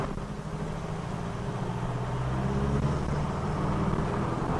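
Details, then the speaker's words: High-mileage engine after an earlier inlet manifold leak repair, on a hill road test: it pulls hard and evenly at full throttle under load in second and third gear, drone rising with speed, no squeal; the earlier squeal is gone. "that sounded pretty quiet then didn't it first gear second gear here we go so that's second ear flap Necker no sound ah did you hear that the sound of silence once again flat NACA under load we've got his plenty of power which is awesome"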